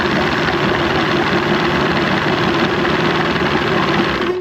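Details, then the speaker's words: Johnson 115hp outboard on a 1995 OMC bass boat, new fuel line and bulb, airbox fitted, hood off: rapid, even chattering idle with no surging or misfire; sounds quieter with air silencer on; smooth idle. "See what I mean? They sound different with the airbox on. Well, I guess that's why they call it air silencer."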